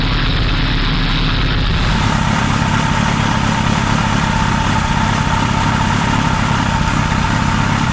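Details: 1978 Kawasaki Z1-R four-cylinder on the stand after re-jetting (20 and 117.5) and carb re-sync: starter catches, settles into steady, even idle with smooth low burble, no misses or knocks; normal, balanced idle.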